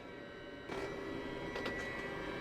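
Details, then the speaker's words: Narrowboat Webasto diesel heater, first start after fuel filter cleaning with some air left in the system: quiet hum, then a soft whoosh as the fan spins up to a steady whir with faint tone; normal start. "And that sounds like a regular start, but it's probably just sucking air at the moment, or will be at some point."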